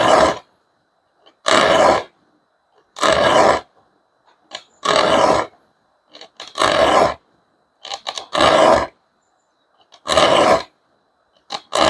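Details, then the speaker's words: Sharpening an Okjo 340 rip-cut back saw with a file, working the teeth set toward the filer: regular strokes about every 1.5 s, each a harsh rasping screech with a sharp ring. Filing only outward-set teeth is quieter. Harsh filing screech. "아, 내 몸 쪽으로 지금 돼 있는 걸 연마니까 방금 전에 이렇게 날카로운 소리가 나요.이 소리가 귀에 거슬리잖아요."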